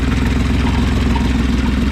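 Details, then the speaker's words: Toyota Land Cruiser FJ62 started after sitting for years: steady idle with quick even puffing pulse on exhaust note plus some pulley racket; exhaust leak suspected. Puffing at idle. "got some racket coming from up here a little racket coming from these uh pulleys up here but other than that sounds like it has an exhaust flake over here"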